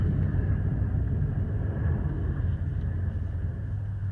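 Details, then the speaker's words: Rust Belt Copart Chevy Impala on first test drive after rear suspension repair, recorded on phone mic: low, steady rumbling growl from up front at street speed; front wheel growl, owner suspects worn wheel bearing hubs. "there's definitely a real loud growl coming from up front so looks like it's gonna be time for some new bearing hopes"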